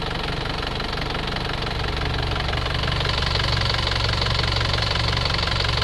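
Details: Isuzu Panther Grand Touring Euro 2 diesel after repair for oil consumption and blow-by, warm at 79 °C, breather rerouted back to the turbo intake: even regular clatter at steady idle, no misses or knocks, no smoke; normal idle.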